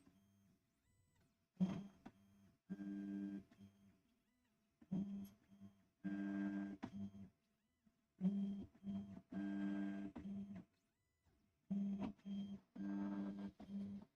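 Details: Tevo Tarantula Pro 3D printer during bed-level probing: short bursts of steady humming tone each time the axes move, with quiet gaps; loud stepper motor whine, with a wobbling, squeaking lead screw also noted. Cause suspected, not confirmed.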